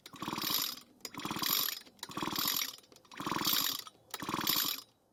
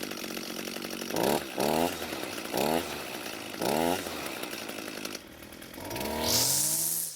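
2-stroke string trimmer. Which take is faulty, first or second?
first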